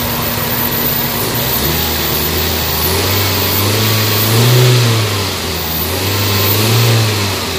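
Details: Toyota Vitz after repair of engine vibration on reverse/drive engagement and no-power issue: smooth even idle rising into two clean, steady revs and settling back, no misses or knocks; engine pulls more strongly and runs healthy.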